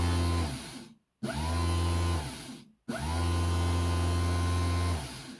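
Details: BMW ABS pump, fault code 5DF0 (pump unit faulty), brushed DC motor reassembled and bench-run after repair: three short bursts of a strong steady low hum, spinning up cleanly and coasting down evenly; runs normally and spins hard.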